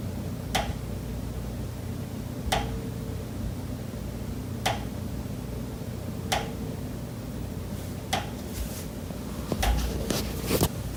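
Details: Condo unit, September: sharp single knocks roughly every two seconds, then a quicker cluster, over a quiet room hum. Pipes behind the kitchen wall knock constantly day and night, audible through the kitchen and living area; cause unknown.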